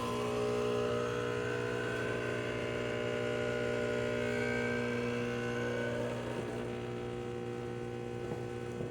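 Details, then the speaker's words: Restored Andreja Premium E61 espresso machine, switched on after fitting new power and brew switches, expansion valve and air valve: a steady low pump buzz that eases slightly as pressure builds; pump and water tank sensor working normally. "water pump is definitely working water tank sensor definitely works as well as the machine will not be hitting without it and it will not be pumping water without it"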